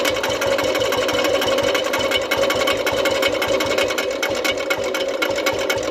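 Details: Old-model Royal Enfield Bullet single idling: rapid, steady, sharp metallic tapping with every turn; diagnosed by ear as piston pin knock, and opening the engine confirmed it.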